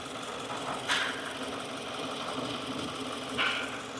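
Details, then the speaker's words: 2015 Subaru Forester idling after belt refit: two brief high whines about two and a half seconds apart, intermittent; mechanic doubts it's engine, guesses transmission oil pump chain transfer gear bearing failing; unconfirmed. "I think the chain the chain for the transmission oil pump might have a a bearing on the transfer gear that's going out"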